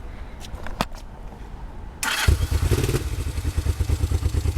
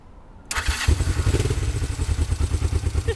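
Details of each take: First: 1969 Honda CL450 twin after starter clutch rebuild, button repair and new solenoid: starter whirs, engine catches and runs rough with uneven stumbling beat, not fully warm and petcock off. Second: 1969 Honda CL450 after starter clutch rebuild, start button repair and new starter solenoid: short starter spin, engine catches at once into a steady low thumping run, slightly uneven, not fully warm, petcock off; healthy electric start.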